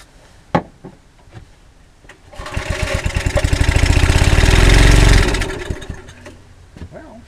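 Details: Early-1980s Generac S1500 portable generator, cold day, started with starting fluid, carburetor rebuild suspected: catches after a few pulls, runs rough about three seconds, then sags and dies; hard cold start.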